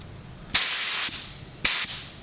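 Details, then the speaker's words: Spray gun test on a DIY van paint job, fluid knob run almost all the way out, pressure set by ear at roughly 20 to 29: two crisp, even bursts of hissing air, clean start and stop, no sputter; normal spray pattern. "But I just look for the sound, and it sounds like that. I'm sorry, I can't help you more than that."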